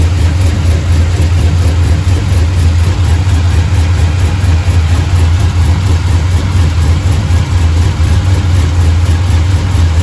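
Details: Truck with 6.0 LS built into a 6.2 with TSP cam, fresh motor, cold start after water pump replacement, high-volume oil pump, warming toward 210: deep loping idle with slight cam chop, steady; normal cammed idle.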